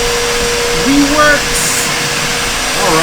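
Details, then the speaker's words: Bissell CleanView upright vacuum model 3536 after repair with a replacement used belt, brush roll spinning and suction working: steady even motor roar at constant pitch, no rattles or squeals; normal running. "right, so check this out now. We've got brushes spinning."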